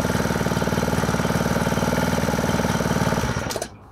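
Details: Honda WX15 1.5-inch water pump, unrun for 3.5 years, started first pull with choke then choke off, throttle low: small single-cylinder engine putters evenly at about four beats a second, no misses, then shuts off cleanly.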